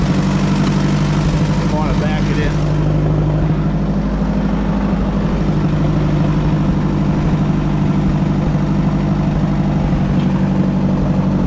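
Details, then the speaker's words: Oliver 550 tractor, engine fired right up before hydraulic pump replacement: catches within a couple of seconds, then settles into a steady low idle with no misses or knocks; normal start and idle. "Guess I shouldn't have doubted it. thing fired right up. I'm impressed."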